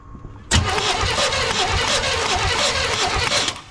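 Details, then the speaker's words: 1989 GMC Sierra 1500 single cab, sitting about 10 months: steady cranking for about three seconds with no catch, fuel pump heard priming, tried to fire; nothing coming from the injectors, crank no start from no fuel delivery. "yeah ain't nothing coming out of them injectors y'all hear that that's that fuel pump that baby priming I heard it try to fire up"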